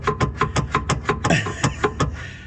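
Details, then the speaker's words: Worn rear anti-roll bar drop links, the type that knock and rattle over bumpy or uneven roads: quick sharp clunks, about five or six a second, as the bar is worked. "when they're worn out and a bit knackered, that's what they sound like."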